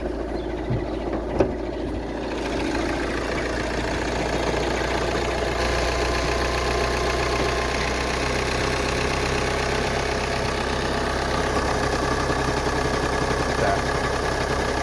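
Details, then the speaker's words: 2013 VW Jetta TDI diesel with 153,000 miles at idle: a light, fairly regular knock of two to three taps a second from the timing belt side. A failing timing belt tensioner is blamed, and the belt is overdue for replacement. "What happened with this vehicle, when you start it, it'll make noise, like a little knocking noise."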